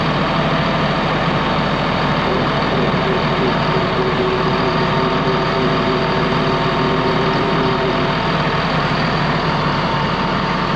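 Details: Ex-US Army Cat D6R bulldozer diesel, 822 hours: steady, even rumble, no misses or knocks; sounds healthy, zero blow-by, hydraulic leaks at loosened joints.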